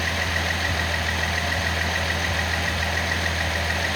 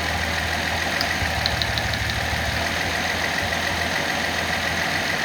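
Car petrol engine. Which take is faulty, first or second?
second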